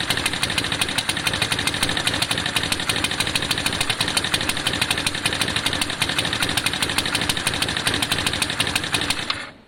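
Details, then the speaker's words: Lexmoto FMX 125cc single starts first time but has poor throttle response and seems not to open fully. The exhaust beat is fast, crisp and slightly uneven. Suction lines look okay; a new carb is considered but doubted, so the cause is not confirmed. "I mean, it's not right. What's interesting though is it's back to exactly how it was originally where it's just not quite it's not quite open on the throttle."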